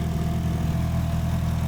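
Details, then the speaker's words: Evo engine at a cold start, first run after the head was resurfaced and O-ringed, with a new billet water pump pulley and Koyo radiator: it settles into a steady, deep, even idle with no knocks or ticks. Normal idle. "Like that, we're alive, baby. Let everything load up. So car is running, everything looks good."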